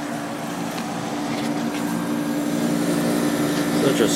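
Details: Whirlpool Accudry 40-pint dehumidifier, late-1990s or early-2000s, reciprocating compressor, on high fan: smooth steady compressor hum with airflow rush, no knocking; evaporator coil clean; normal compressor running.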